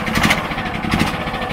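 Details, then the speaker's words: DuroMax XP10000E 10000-watt portable generator with tri-fuel kit, steady even low-speed putter at idle-down speed with no electrical load, no misses or knocks, running normally. "And as you can hear, that's the idle control. It idles it down when the electricity is not in use."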